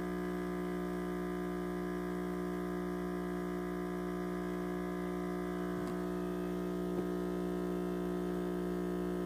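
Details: Six-month-old Breville Dual Boiler espresso machine, pressure still good: constant loud electrical buzz with a low hum and a bright edge. Cause not identified.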